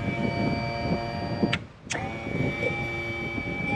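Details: Outboard power trim/tilt unit after electric motor replacement: an even, steady electric motor whine that stops briefly and restarts cleanly with no grinding or strain; the new trim motor runs normally.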